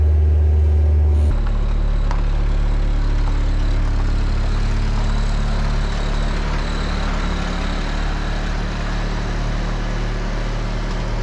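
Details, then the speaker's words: Ford Pinto wagon with EFI-swapped 2.3 engine, first drive, good oil pressure and temperature: steady, fast idle drone with even pulse about four per second that won't settle; high idle, engine also randomly dies. "oh it randomly just dies wow got great oil pressure we got good temp see I it won't idle down"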